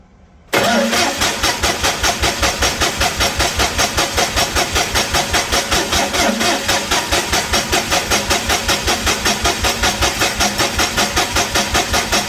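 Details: Perkins D3.152 diesel in a 1984 Lincoln SA250 welder, freshly rebuilt, first crank after install, injection pump off so no fuel, cranking to build oil pressure; even starter beats about two and a half a second, no firing — normal cranking, oil pressure reached.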